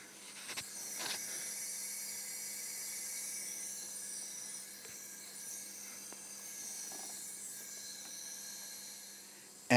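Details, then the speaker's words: Ford Pinto engine cylinder leakage test, cylinder one with good compression: steady airy hiss heard at the crankcase oil return opening, blow-by air escaping past the piston. "we had a good compression but still i can hear a hissing sound so guys i'm gonna let you listen to that hissing"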